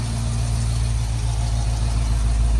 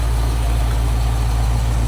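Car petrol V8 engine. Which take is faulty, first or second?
first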